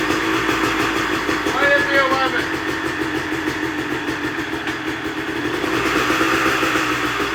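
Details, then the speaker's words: 1998 Kawasaki KX250 two-stroke after ignition timing corrected to 11 degrees retarded instead of 22 advanced, previously fouling plugs and not revving; crisp even note picking up cleanly with no bogging or misfire, normal running. "And it's night and day difference. It's not even the same bike."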